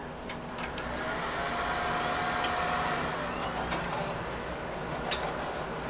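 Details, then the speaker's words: Loud, steady fan rush with a few light clicks during boot of a free Compaq desktop; fans quiet down once booted, hard drives (health only 40–50%) noisy, spinning audibly. "once it boots up fans quiet down but you might be able to hear the hard drive spinning away so not the quickest boot up time in the world"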